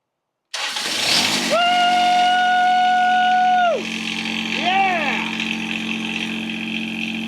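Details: John Deere 455 diesel lawn tractor after installing new glow plugs, new key switch and fuel shut-off valve: starter whirs about two seconds, then the diesel catches cleanly and settles into a steady, even idle.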